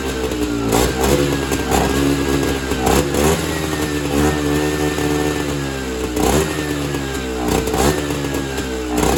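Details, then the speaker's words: Evinrude Bobcat 25hp two-stroke snowmobile, sat 20+ years, fed mixed fuel; blats and surges unevenly, never running clean; owner thinks the carburetor isn't working, fuel bypassing it back to the tank, so it runs only on his own fuel supply. "So basically what has happened is the carburetor is not carbburating. So, what I think is happening is the fuel is just bypassing the carburetor and returning back to the fuel tank, and it's not actually getting sucked into the engine and burned."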